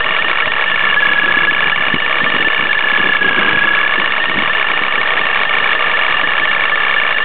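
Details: Nissan 350Z with Vortech supercharger at idle: loud idle with constant harsh metallic chatter and a thin whistle on top; rattle from around the blower, sounds like the car is falling apart.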